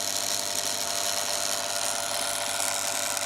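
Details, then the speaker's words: Yaesu G5500 antenna rotator elevation motor, original 100 µF run capacitor failing: steady high-pitched laboured whine as motor slows dramatically and struggles, stalling from capacitor breakdown. "as that capacitor breaks down that motor is slowing down it's really struggling"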